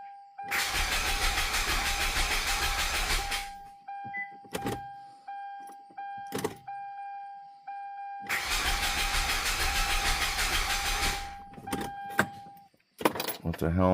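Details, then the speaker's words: 2007 Hyundai Santa Fe 3.3 V6 after timing chain replacement, with low power steering fluid and no fuel pump heard priming: two cranks of about three seconds each with an even starter whine and no fire. Crank no-start; owner believes the timing is 180 out. "Okay, let me give her a crank. I imagine I'll probably hear the power steering pump went on this, too. I lost some power steering flood. I'm not hearing a fuel pump."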